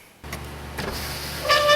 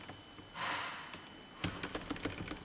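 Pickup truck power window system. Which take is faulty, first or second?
second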